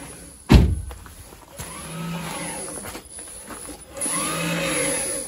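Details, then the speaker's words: Renault Zoe ZE40 (5AQ motor) after motor bearing replacement, first spin in drive: soft rising high-pitched motor whine plus slight mechanical rattle because the reduction gear has no oil yet; sounds fine, far better than before. "yeah so there's no um there's no oil in the reduction gear so you get that slight mechanical noise but the high pitched one is the motor yeah I think that's fine"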